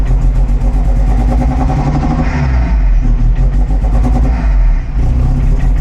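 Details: 1975 Volvo 245 wagon with 16v turbo swap, LH2.2 injection, at first startup around 800 rpm, low vacuum, wideband 8–9: barely hangs on with slight throttle, dips and surges, spits carbon; bad air mass meter.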